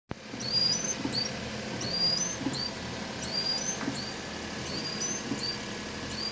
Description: Common issue with most cars specially with Perodua Viva Elite, wipers make squeaky noise even with new wiper blades, here's a simple way to get rid of it with minimum cost and anyone can do it by them self at home....